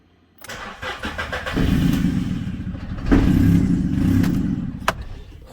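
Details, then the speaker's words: Salvage-repairable VW Up, 62k miles: engine catches after a brief crank, then runs lumpy and uneven with an irregular low beat; rough running from the damaged inlet manifold, but it does run. "I'll start up but as I see that's a lot of lumpy because they're damaged in the manifold but it does run"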